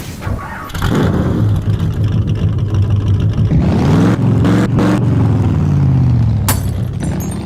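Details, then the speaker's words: 2014 Honda Civic running really rough in limp mode with code P0302 cylinder 2 misfire: engine catches and revs with uneven stumbling pulse and lumpy idle; cylinder misfire. "uh so we're going to take a look at Miss uh misfire on the cylinder head what it means and how to diagnose it and hopefully fix"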